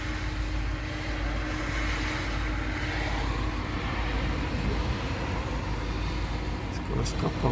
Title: Citroen, Peugeot 1.6vti misfire P0351, P0301, P1337